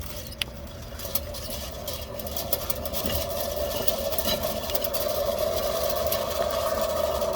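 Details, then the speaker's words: Wheel with under 15,000 miles spun up: a steady mid-pitched hum strengthens with speed, with light ticking over it; owner guesses the wheel hub bearing assembly is failing, unconfirmed. "so less than 15 000 miles um guessing the wheel hub assembly is going out"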